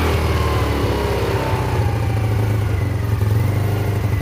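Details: Yamasaki YM50 after carburetor cleaning and fuel replacement, first start in neutral without choke: small engine buzzing steadily and picking up cleanly as it revs, no stumbling or sputter; running healthy.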